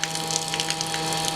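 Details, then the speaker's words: Campervan 12V water pump, freshly wired through the tap switch to the power supply, first test: a steady electric hum while water splashes and gushes from the tap; the pump delivers flow normally. "So, let's see how she goes. Y. [Music] And we have water, water, water everywhere."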